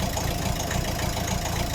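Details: Volvo diesel idling just after start, with hard, fast, loud clacking throughout and some smoke; the owner suspects one or two faulty injectors and plans to replace all four with used ones.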